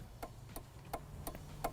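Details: Ford Escort RS Cosworth on a ramp with the ignition on, where the right indicator also switches on the main beam (suspected dirty stalk or loose wires). Crisp, even flasher relay ticks about three a second with no skipping; indicator flasher working normally.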